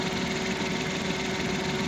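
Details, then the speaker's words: 2020 Suzuki Transformer DA63T engine: even steady idle with no misfire or shake after replacing a failed spark plug that had caused heavy engine vibration. "Yan oh normal lang yung ano niya ito lang yung naging dahilan mga boss itong spark plug na to medyo siguro sa katagalan na to ay bumigay na rin siya"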